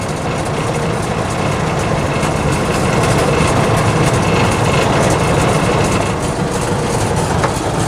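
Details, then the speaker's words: 1948 Willys Jeep CJ2A flathead, engine not warmed up but not fully cold, just started: low, steady chug about four beats a second, slightly uneven but no knocks or misfires; normal idle. "Hear it run. It's not warmed up, but it's not exactly cold either, so let's see what we get. She lives."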